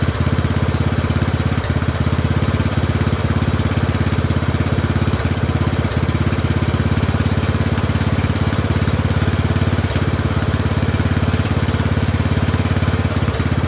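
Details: Poulan 12538 XT riding mower, 12.5 hp single-cylinder, 38-inch deck, after new carburetor fitted (old one leaked gas into crankcase): steady fast-idle thump, even beat, no misses or knocks; oil burning off muffler; normal running.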